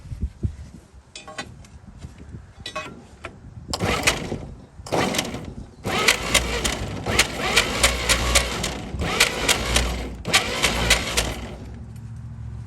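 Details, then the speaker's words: 1937 Chevy truck sitting about 45–50 years, new start button, cap and plug wires refitted: starter cranks in bursts, steady chug three or four beats a second, never catches; seems no spark. "it's like it's not even getting fire at this point put some gas in it and"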